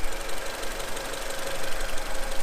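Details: Honda Accord CB7 after cleaning penetrating oil off the distributor cap contact point: low, even idle with a steady rumble, no misfires or stumbling. Normal idle.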